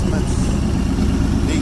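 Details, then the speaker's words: 1965 Ford Thunderbird 390 V8, running after freeing a seized engine by soaking with diesel for about a week. Deep rumble with uneven, lumpy beat, not smooth, cause unknown. Rough idle. "okay the old Thunderbirds wound up she's running not running real smooth but three days and died an idol"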